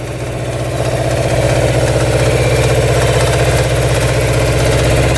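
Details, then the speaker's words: 1979 Suzuki LT500 Quadzilla with swapped 750cc single engine, no choke, on test ride: pulls up strong and even, steady firing beat with no misses or knocks, revs out clean. "running pretty good revs out"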